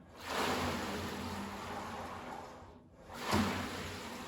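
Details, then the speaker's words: Xterra ERG600W water rower after lubricating plastic parts along the belt path with WD-40 to cure its squeal: two smooth water whooshes, no squeal or scraping; normal quiet operation. "this is how it should sound"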